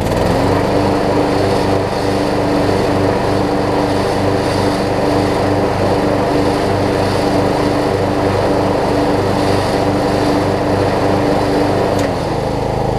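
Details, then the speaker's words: Craftsman LT3000 riding mower's small single-cylinder engine, maintained, filter changed: runs at a steady, even pace with no misses, knocks or hunting, then drops off near the end; sounds healthy. "This thing's doing great."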